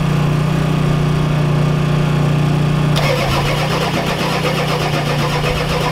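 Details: Ford F-250 XLT 7.3L IDI diesel, all 8 glow plugs connected, temporary fuel hose bypassing mechanical lift pump, cold weather: steady cranking about three turns a second, never firing. Fuel reaches bleeder screw, not injectors; owners suspect weak injection pump, shutoff solenoid untested.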